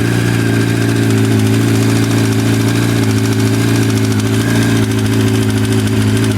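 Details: 2005 Yamaha R1 (5VY) inline-four at idle: steady idle with a light, fast metallic rattle over the exhaust note; engine rattle or knock, cause unknown.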